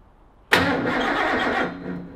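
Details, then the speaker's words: Ford XY GT Falcon with 351 V8 on first start-up after build, fuel system primed by pressurizing the tank: starter spins the engine briskly for about a second without firing, no spark; no start. "all right so we've come up with a little bit of an issue we've tried to fire this thing over and over and over again"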